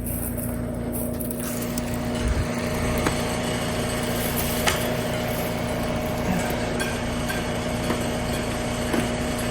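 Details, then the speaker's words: Trane AC condensing unit on a hot day: only fan running with faint hum and brief "death buzz", compressor never starts; failed run capacitor, replaced. "Sounds like nothing but a fan. I heard that momentary death buzz a couple of times. Yep. Momentary death buzz."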